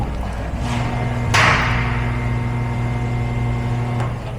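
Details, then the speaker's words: 2023+ Mercedes Sprinter 2.0L OM654 diesel, priming after fuel filter cartridge replacement by pressing ignition twice without brake; heard from under vehicle, steady low electric hum then fades out, clunk in between: normal fuel pump priming run. "And if you come under the vehicle, you can actually feel and hear the fuel pump running."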